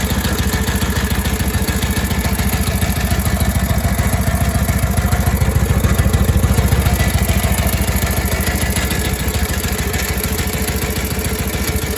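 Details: Harley WLA 45 flathead V-twin with a loping idle, a steady beat near 200 per minute and a clattery edge on top; a strange noise of unknown cause.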